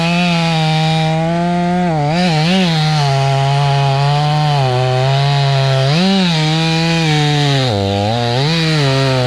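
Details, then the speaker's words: Stihl 500i fuel-injected chainsaw with a longer bar cutting through a fat knot: high whine whose pitch sags and wavers, bogging down; too much bar for the saw, 32-inch suggested as the sweet spot. "all right so i'm getting through but you can kind of hear it's bogging down it's too much it's kind of too much"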